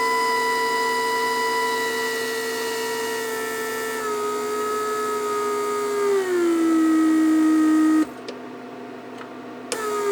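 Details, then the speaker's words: Repaired 1999 Mercedes S-class (S500) door-lock PSE pump on a bench test with a small vacuum leak deliberately left open. The hum sags, stops and restarts within seconds, cycling constantly because of the leak, which would burn out the motor. "That's what's gonna happen. I barely leaving. Basically, I just left a little opening, so it will just continue leaking vacuum, and pump constantly cycles, and that would burns the motor."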